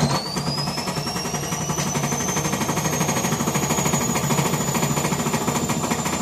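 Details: Gorenje WaveActive washing machine on spin, jumping, rattling and thumping hard under a rising motor whine. Broken drum bearings with drum imbalance are suspected but not confirmed.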